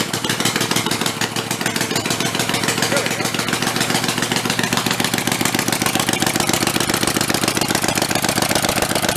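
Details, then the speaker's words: Rebuilt Kohler Command 20 hp engine running after its fuel solenoid was jumpered to 12 V: fast, steady popping beat with crisp, even pulses and no knock; runs healthy with no leaks. "awesome there we go we got two for two anything pissing out of it anywhere that's a good sign"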